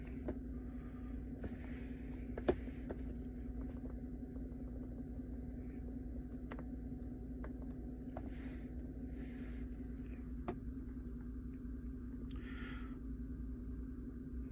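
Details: 2013 GMC Sierra 5.3 L flex-fuel V8, very cold, P0172/P0175 rich codes, hard cold start; ECM misreports alcohol content: quiet smooth steady idle with no stumble or misfire; normal cold idle.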